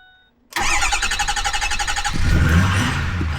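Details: Ford 6.4 L diesel just after an oil and fuel filter change: a quick crank catches within half a second and settles into an even, steady idle with no knocks or misses. It starts healthy despite possible air from the filter change.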